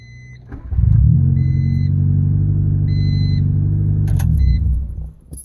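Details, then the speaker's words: 1989 Honda Civic Wagovan after a crank-no-start fixed by tapping the relay, not the fuel pump: fires promptly and settles to a steady, smooth low rumble with a chime beeping; runs normally. "as I was saying I hit my relay a couple times and now engine lights off fires right up like nothing"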